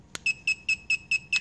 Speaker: you're gonna get that beeping sound that pretty much just tells you that the control board is registering the remote control but it's not actually programmed to the remote to the control board